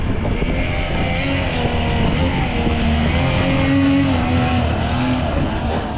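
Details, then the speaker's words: Rebuilt 1976 Mercury 650XS race two-stroke outboard, sat 20 years, first test run on a 13 ft Delta T850 race boat: strong, even drone pulling cleanly at high revs with no misfire or stumble, running healthy at speed. "Watch, he's going to immediately get into the throttle. Yeah. I'm going to take it easy. Starts winding it out right away. Sounds smooth."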